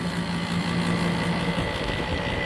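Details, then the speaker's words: 2003 Kenmore R22 window air conditioner with hard-starting compressor, dirty coils, not cooling (67°F output in 82°F barn): steady loud hum with coarse rough edge; loud rough compressor, bearings suspected, not confirmed. "You can hear that compressor. It's a little bit loud. Hopefully the bearings aren't going out."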